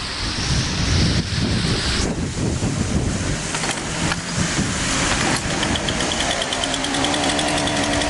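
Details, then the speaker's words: Partner 340S chainsaw that stalled when throttled, after cleaning a clogged muffler screen blocking exhaust flow: revs rough at first, then settles into an even, steady run with good idle and throttle response; fixed. "Пусть всё работает отлично холостые есть точность есть"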